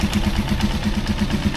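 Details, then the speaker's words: Rusi Chariot 175 motorcycle idling with a rapid metallic buzz on each firing pulse: the air cleaner's weakly welded, thin bracket has come loose and rattles against the engine. "maingay so Siya pala yung nagko-cause ng ingay diyan sa ating makina"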